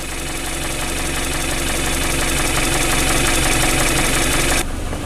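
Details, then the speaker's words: Newly bought project car idling after earlier hard starting, warmed up with temperature where it should be; steady even idle with a smooth regular pulse, no knocks or misses, healthy. "Oh, it's getting nice and warm in here. Great. Yeah, it's where it should be. So that is a success."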